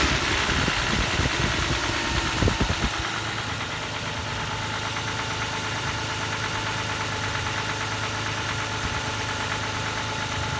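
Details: Toyota 1G-FE engine running with a rough, uneven knock ticking through idle at about three per second; something knocking inside, cause unclear; engine knock.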